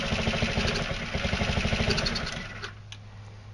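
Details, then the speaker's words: Carbureted scooter being set up to run on hydroxy gas, fuel line clamped before the fuel pump, cell off: uneven popping about three per second fades and dies in 2.5 seconds, burning last fuel in carburetor; fuel starvation stall. "you can hear it running a little bit so there must be still a little bit of fuel still still a theit fuel in the carburetor"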